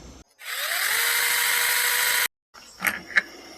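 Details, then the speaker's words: Sainlogic SC-16 21V brushless 6-inch mini chainsaw, after two batteries of cutting: high whine rises quickly and holds steady about two seconds unloaded; clean steel-gear and motor noise, normal gear whine, nothing abnormal. "sounds like metal gears in there I guess we'll take it apart"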